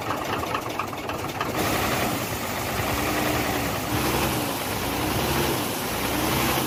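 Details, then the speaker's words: Hino J08C truck diesel at idle after overheating from a leaking water pump: loud, rough, uneven knocking clatter under a steady drone; noise from cylinders 1 and 2, back compression present; heat damage to pistons suspected. "दो number cylinder में से और एक number cylinder में से आवाज आ रही है और बैक कंप्रेशन भी मैं आपको चेक करवाता हूं"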